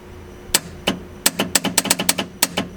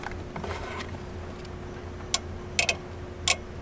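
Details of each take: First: Eight-turbo V8 Mustang, Nitrous Express install after rewiring the relay to 12 volts from switched ignition: sharp dry clicks in quick irregular bursts over a quiet background, nitrous solenoids opening and closing normally as the Holley would trigger them. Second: Eight-turbo V8 Mustang, Nitrous Express install: sharp dry relay clicks over a low engine hum but no heavier solenoid clack follows; the solenoids aren't clicking or felt, no power reaching them.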